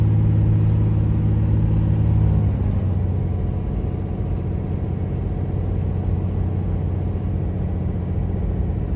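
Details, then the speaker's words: 2007 Dodge Ram 3500 4x4, 6.7 Cummins diesel, 68,000 miles, six-speed automatic, driving uphill: revs drop cleanly in one smooth step at the shift, no flare, slip or hanging gears; normal smooth upshift. "very very smooth just smooth as butter going from one gear to the next doesn't hang gears doesn't get stuck doesn't slip nothing of that sort"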